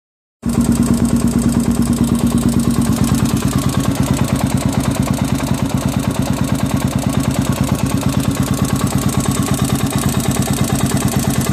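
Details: Honda 400EX after rebuild: steady single-cylinder idle with a heavy, regular knock about three times a second deep in the lower engine; bottom end engine knock.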